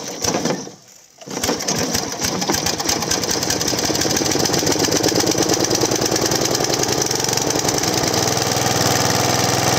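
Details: Large professional Flymo hover mower after bearing replacement, test running: fast, busy buzzing rattle from the small petrol engine and blade, steady after a brief dip, running evenly with no bearing growl (previously very loud bearing noise).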